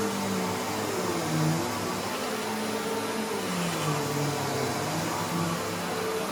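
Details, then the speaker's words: Simplicity Symmetry vacuum: loud steady roar with a wavering, warbling low tone underneath; a felt gasket helped slightly, but the worn brush-roll clutch and clutch pad still need replacing. "Well, I don't know how well y'all can hear that, but unfortunately, or fortunately, depending on how you look at it, that felt gasket did help a little bit, but we're still going to have to go through it and replace those two components, the clutch pad and the clutch itself."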